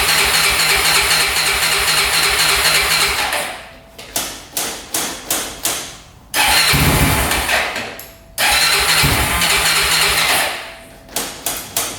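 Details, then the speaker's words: 2004 Honda 400EX quad that bogs badly, after a carb clean and valve adjustment, started with choke: several sharp cranking bursts with brief catches before it fires and holds a choked idle; hard starting, cause unknown. "So, right off the bat, it has trouble starting. So, that's not good. Seems to be idling okay with the choke on right now."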